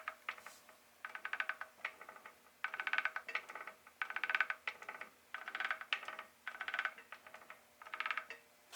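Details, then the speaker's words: 1976 Spitfire 1500 transmission removed from car, in first gear, input shaft spun by hand: turns, but repeated bursts of sharp clicking and rattle about once a second. Noise only in first; second, third and fourth are quiet, so first gear suspected damaged. "so we've got the transmission in first gear right now and I'll go ahead and spin the input shaft and we've got some turns which is good but we also have a noise coming from the transmission"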